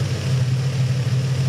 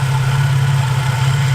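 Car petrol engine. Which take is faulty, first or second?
second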